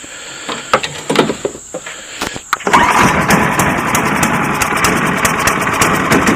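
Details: Cub Cadet 1030E snowblower, 10 hp, 30-inch, electric start, cold start on choke: clicks, then catches and holds steady even buzz, no misses, knocks or smoke; primer button dripped gas, carb needs cleaning.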